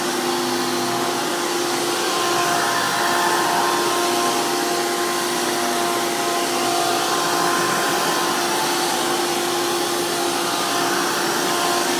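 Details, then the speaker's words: 2002 Hoover PowerMax II U5246-940 upright vacuum with 12 amp Elite motor, the noisiest Elite motor, after motor work: loud, steady high-speed whir at constant pitch, no rattles or grinding; normal smooth running. "And since this one has the 12 amp motor, even though they are known to be the most powerful, they are also known to be the most noisiest of the Elite motors."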